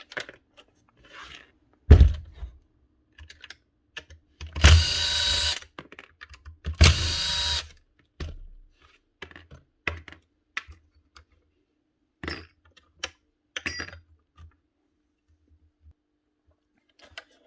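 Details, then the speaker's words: 2006 Makita 1923H 110 V corded planer, drum spun by hand: rough rasping whirs from dried-out bearings. "You can really hear them dried out bearings now. Not what you want to be listening to."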